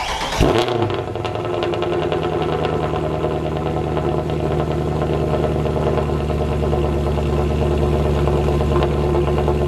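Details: W204 Mercedes C63 AMG V8 after fix (long-tube headers, sport cats, mid silencer), start-up: catches with a bark then settles into deep even rumble, no drone or rattle; exhaust healthy.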